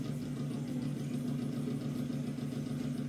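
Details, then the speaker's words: Loud, noisy bathroom exhaust fan in a daughter's home, later replaced with a new unit: steady loud droning hum with a rough buzzing edge and unchanging pitch, suggesting a worn fan motor, though the cause is not confirmed. "이게 이제 요번에 제가 저희 딸 집에 가서 욕실에 들어갔더니 환풍기 소리가 굉장히 나더라고요."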